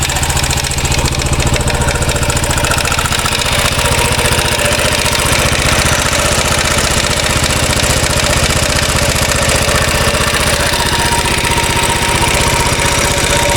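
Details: 2013 Royal Enfield Classic 500 single, rebuilt after teardown for stray M5x35 bolts: decompressor noise gone, steady idle with a fast uneven light rattle three to four a second, sounding top end; oil level okay, owner to check tappets and rockers, unconfirmed.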